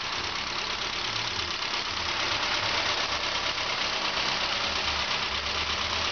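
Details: Saab 9-5 with rebuilt 2.0L turbo B205E replacement engine, first start: even, settled idle under a lot of hiss, no stumble or misfire; engine sounds healthy.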